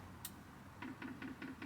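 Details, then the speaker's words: 2 kW Chinese diesel heater in a Renault Trafic van, first priming via up+down keys: faint quick regular ticking about five clicks a second from the fuel dosing pump; priming normally. "And the little pump symbol comes up on the display, and you'll hear the pump ticking. So that's priming."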